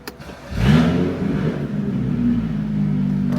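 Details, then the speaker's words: BMW F30 335i with replacement N55 engine swapped between EWG and PWG versions, first start after install: engine catches and flares, then settles to a steady, even hum with no knocks or misses; running smooth. "Running smooth."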